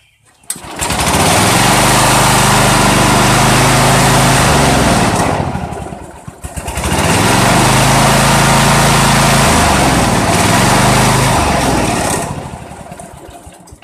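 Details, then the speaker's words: Old Dynamark riding mower, Briggs & Stratton single-cylinder, sat outside about a year: surges up then sags about every six seconds, only running on choke; owner suspects water in the carburettor jet, air cleaner removed next. "let me remove that air cleaner and see if we can get it to where it'll stay running because right now it's only running with the choke on"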